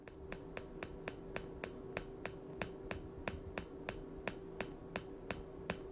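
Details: PEMF-100 high-intensity pulsed magnetic field therapy coil: sharp, even clicks about three a second over a low steady hum; coil pulsing normally.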